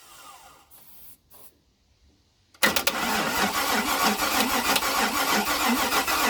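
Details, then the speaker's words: 1956 International R180 with junkyard 454 V8, first start, open exhaust: quiet, then catches at once and settles into a loud, steady, even idle with no smoke, sounding like it fires on all eight. "I mean Jesus there's no smoke at all it sounds like it's hitting on all eight which really shocks me because this"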